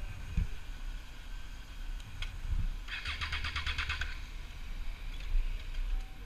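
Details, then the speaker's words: Triumph Street Triple 675R engine abruptly cutting out while riding, then cranking and catching within seconds; this happened repeatedly. The owner suspects the kill switch or kickstand switch, not confirmed. "I was riding to go get some parts the other day and the bo just cut out you'll see in the clip"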